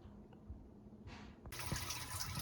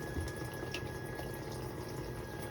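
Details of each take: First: Whirlpool dishwasher, about 6 years old, after water inlet valve replacement: faint low hum, then a strong steady rush of water filling at full flow; previously hummed, left soap scum, weak fill. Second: Whirlpool dishwasher, about 6 years old, leaving soap scum: a steady electrical hum with a thin high tone over trickling water while filling at cycle start. The owner suspects the solenoid water inlet valve, later confirmed by a spray test.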